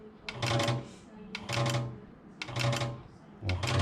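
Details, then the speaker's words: External RO booster pump on high-pressure switch (off 3 bar, on 2 bar) with slow flow: pump hums about half a second then cuts off, clicking about every second; rapid on-off cycling damages the pressure switch. "If you running on off like this, you will damage your pressure switch and make sound like this, on off."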